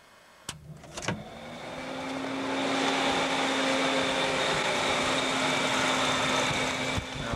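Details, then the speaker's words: Converted 1992 Ford Taurus two-speed electric cooling fan, switched on through the override/air-conditioning button; after a couple of clicks it spools up to a steady, even hum with a faint tone and no rubbing or rattle. Normal low speed. "that is at low speed let me stop this and start it up on high speed"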